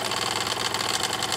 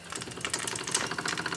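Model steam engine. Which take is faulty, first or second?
second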